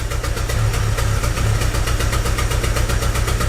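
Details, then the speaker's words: 2006 Chevy Aveo with P0300 random misfire code: rough, uneven idle with shake and stumble, worse and surging when put in drive at stops; plugs looked lean-running. "I don't know if you guys can hear that you hear that rough idle and it gets worse it gets worse when you put it in a dry you like surges and"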